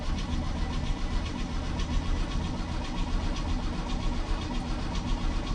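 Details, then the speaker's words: 1965 Chevy C10 truck, unstarted for about a week, cranked in neutral; starter churns with an uneven, labored rhythm and it never fires. Owner adds throttle pumps and suspects flooding; it later starts at full throttle: cranking, no start. "no i i don't think it's gonna start let's try one pump gotta give us some gravy in order to start her you know"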